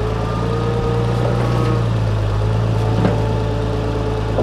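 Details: Farmall 460 tractor idling after changing and cleaning plugged hydraulic filters that had disabled loader, bucket and power steering: steady low idle with an even beat, no knocks or squeals; normal idle.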